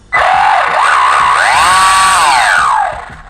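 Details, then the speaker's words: WLtoys 124008 RC car: loud high-pitched whine rising with motor speed, like a gear rubbing plastic; metal shavings found, remeshing didn't help, owner has jumped it a lot; drive shaft to be replaced. "It's really excessively loud right there, and it wasn't like that when I first got it, but I have jumped it quite a bit."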